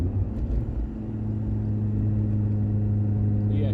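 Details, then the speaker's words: Mk2 Golf GTI 16v with newly built engine during run-in shakedown, under 4000 rpm: steady low engine drone with no gearbox whine, gear selection perfect after only draining and refilling gearbox oil with decent oil. "but this gearbox got no wines whatsoever select gears perfect all i've done was draining put some decent oil in it sweeter than that"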